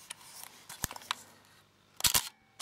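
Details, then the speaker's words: Leica R6.2 35mm SLR shutter firing at 1/125 s: crisp shutter snap. The mirror is soft on the upswing but gives a loud clunk coming back down, with slight camera vibration; normal operation. "And I found that the mirror is quite soft on the upswing, but when it comes back down, it makes a quite a a loud clunk as you can hear."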